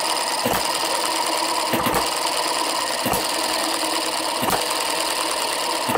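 A sharp firing hit about every second and a half, roughly forty-five a minute, coasting evenly between them; a healthy slow hit-and-miss.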